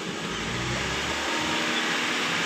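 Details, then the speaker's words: 2008 Honda CR-V/HR-V with code P1659 (ECTS control relay), D indicator light blinking: full throttle but revs stay flat at about 2,500 rpm and never climb; faulty relay is limiting rpm. "Nah di sini kita cek temen-temen ya Jadi untuk bagian gasnya kita tekan full tapi rpm nya tidak mau naik"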